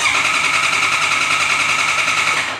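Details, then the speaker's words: Honda CB650R that won't start: ignition on, horn and electrics fine, starter spins at even fast whir for seconds but engine never catches. "xe này thì có lỗi là không nổ máy được nhé Còn khởi động thì vẫn khởi động bình thường chúng ta bật khóa nha nèn còi Điện đóm đầy đủ khởi động bình thường nhưng không đổ máy"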